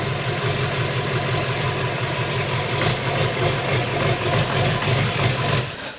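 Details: 6.6L Duramax diesel swapped into a Jeep Wrangler, first start after the swap, still no oil pressure reading: diesel settles into a steady, even clatter at idle with no irregular knock, then shuts off cleanly; healthy.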